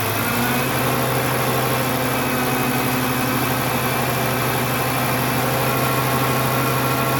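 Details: Volvo 850 T5 turbo five-cylinder after fixing vacuum hose leaks, now about 95% normal idle; revs rise slowly with gas, coolant reservoir low. Even, steady idle with smooth low hum, no hunting or hiss; normal idle.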